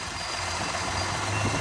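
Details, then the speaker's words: 2017 Jeep Grand Cherokee 3.6L V6 AWD after new fuel injector install for rough idle and misfires: just started, steady even idle with smooth low hum, no stumble or shake; normal idle. "Everything seems to be working fine."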